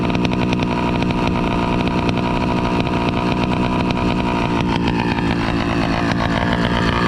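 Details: Motorized bicycle with two-stroke engine and NT carburetor: buzzy idle that wanders and stumbles instead of settling. The carburetor seems not to be getting enough fuel for a steady idle; lean.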